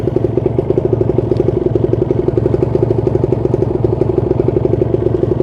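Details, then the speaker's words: Kawasaki Ninja 150 RR two-stroke, about 12,000 km, rarely ridden, idling steadily at about 1000 rpm: quick, even popping at low idle, no misses or knocks; engine sound described as calm and healthy. "suaranya juga masih Iya dirasa adem lokal untuk suara mesinnya kita dengarkan suara mesinnya dari sebelah sini"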